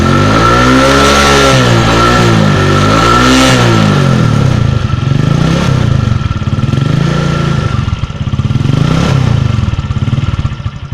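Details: 2004 Suzuki Shogun 125R single, clutch plates, clutch housing, cam chain and its rubber replaced a year earlier, revved up and down repeatedly: a clattery mechanical rattle rides over the exhaust note as revs rise; engine noise when revving, source unclear.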